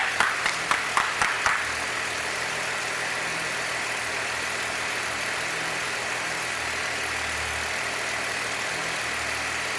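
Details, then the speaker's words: 1966 Chevrolet C20, Chevy 292 six, just after first start, still cold: a few sharp clicks, then a smooth idle held noticeably high; owner plans warm-up and timing-light adjustment. Fast idle. "Man, it's beautiful. It's running a little fast, but we're going to let it warm up, and I'll put a timing light on"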